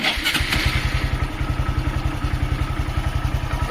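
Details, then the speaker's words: 2018 Honda MSX, 9,856 km, cold engine started without throttle: even, steady single-cylinder putter at idle with no knocks or rattles, running cleanly. "ตั้งเสียงเดินเบาๆนะ"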